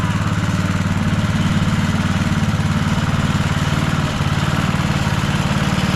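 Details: Rover Ranger ride-on mower at fast idle in neutral after no-spark repair (points cleaned and gapped to 20 thou, coil gap set, flywheel cleaned, carby serviced): steady, even single-cylinder thump, no misses or knocks; runs like a beauty.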